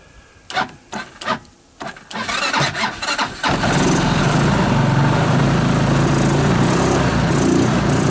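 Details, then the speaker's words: 2014 Linhai Big Horn 400 UTV, carburetor clean, started after spark plug change, harness rearrangement and portable 12VDC CDI ignition wired in, air cleaner off, battery not charging: stumbling cranks, then a fast, slightly uneven, fussy idle; rough running, still needs attention. "well well I think I got it running again it's obviously uh but goodness but I'm not happy you have she seems to be fussy"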